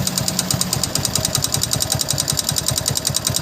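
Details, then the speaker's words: Hero Passion Plus motorcycle, warmed up: fast light metallic ticking over the idle, several ticks a second, louder with revs and under load, quieter when slowed; tappet noise from excessive valve clearance. "[संगीत] आवाज नहीं ए रहा है मेरे को slow करो तो थोड़ा हल्का से आवाज आता है जब लोडिंग पड़ता है जब लोडिंग पड़ता है तभी भी आवाज आता है"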